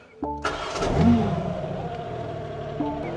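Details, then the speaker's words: Rebuilt BMW G80 M3 with replacement engine, stock exhaust with VRSF downpipes, exhaust valves unplugged and shut, M mode: cranks, catches and flares, then a muted but raspy idle. Quiet yet raspy exhaust note. "This stock exhaust is horrible. The internet is right. These things don't sound good. This even has downpipes on it, and it's still quiet, but also sounds raspy."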